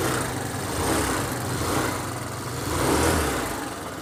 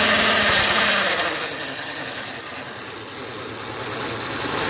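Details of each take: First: Hero Duet scooter after tightening a loose part that had caused odd noise: even, steady low idle with slight rev rise and fall, no knocking or rattle; normal idle after repair. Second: Hero Duet scooter engine with a harsh tinny clatter at about four beats a second, caused by a loose nut on the engine cooling fan under the clutch cover.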